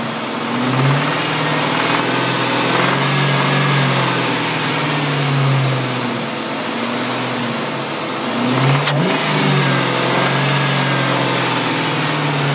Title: 1999 mustang gt engine knock